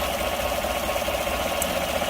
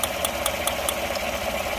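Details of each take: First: V8 truck after reattaching a plug wire found off the cylinder 1 coil: even steady idle with no stumble or tick; misfire gone, running smoothly. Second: Engine idling with sharp even ticking about five per second, little misfire; arcing at number 1 coil because the plug wire was off the coil, fixed by reseating it.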